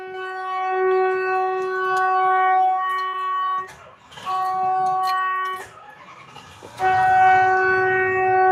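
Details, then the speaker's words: Winnebago during fuel pump work: switching the key on sets the horn blaring by itself in long bursts that drop out briefly twice; a horn circuit fault. "Key on. Horn goes off. Huh?"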